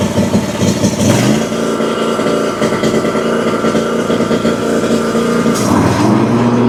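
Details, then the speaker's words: Exmark Vantage S stand-on mower, Kawasaki FS541V, 1181 hours, freshly topped up with oil: uneven lumpy running with irregular pops and cracks; suspected rich fuel or sticking/leaking valve. "So, it runs pretty poorly. It seems like it's either getting too much fuel or that one of the valves is sticking or not sealing properly."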